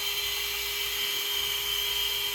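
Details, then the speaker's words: New Surpass Hobby ESC cooling fan just installed in an Arrma Senton 4x4 RC truck, replacing a broken one; steady, high, even whine with no wobble or rattle, good airflow: normal fan whine. "let test this baby out see if works like a charm got some nice blow through there"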